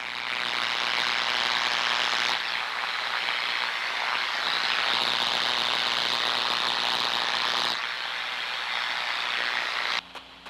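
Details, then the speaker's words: Constant harsh sizzle and frying hiss, high-pitched and steady with a low buzz beneath, heard through an Ultraprobe 2000 ultrasonic detector: destructive high-voltage corona on electrical gear at a severe stage, needing immediate correction. "this is the actual sound of destructive high voltage Corona at a severe stage"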